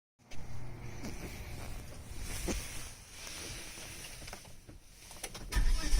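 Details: 2006 Volvo V70 R on cold start: tinny, rattly howl over a low rumble, traced by stethoscope to the turbocharger housing; also heard when accelerating at 2000 rpm, and stops abruptly above 2500 rpm as boost kicks in.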